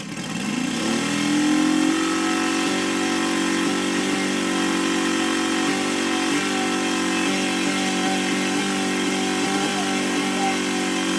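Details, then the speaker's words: Saito FG60 R3 radial model engine after break-in and leaning, revving cleanly to a strong even buzz at full throttle; healthy running. "here's my transition real nice transition no delay nice smooth and then here's Full Throttle nice there's your idle"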